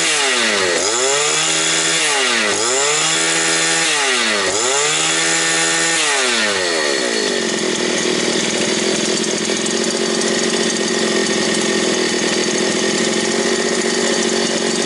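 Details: New gasoline brush cutter (trimmer) that would not start at first, restarted after standing: revs up and drops back three times, then holds a steady even high-speed buzz; starts cleanly and runs normally.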